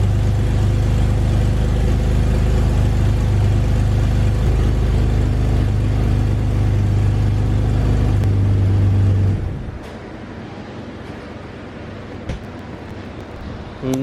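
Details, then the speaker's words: 2001 BMW E46 330i wagon on ill-fitting aftermarket catless headers that hit the transmission: a loud deep rumble with rapid ragged puffing at idle, then it drops off, from a huge exhaust leak at the header flange. "surprise there is the huge exhaust leak well let's see what we can do about it"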